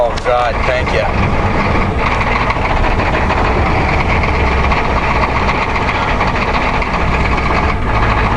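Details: Cold start at -15°C, 1990 Ford F250 7.3 diesel that barely starts: loud heavy clatter at cold idle, uneven and rough while warming up; owner says the injectors aren't helping, blow-by test planned.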